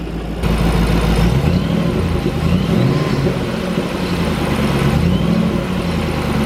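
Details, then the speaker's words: Ford Mustang Shelby GT500 V8, low on oil, revved outside: loose rattly knock from underneath over deep exhaust rumble; rod knock first suspected, then transmission or exhaust, unconfirmed. "Oh no, dude, the engine sounds okay. It sounds like something coming from the bottom, transmission, exhaust, somewhere around there. It sounds loose."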